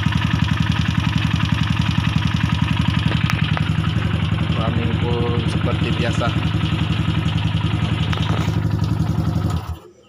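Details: Yamaha SRL 115 FI (Lagenda 115 FI) no-start traced to fuel pump pressure too low for the injector: even, steady single-cylinder idle at a regular beat with no stumbles, then shut off; normal idle.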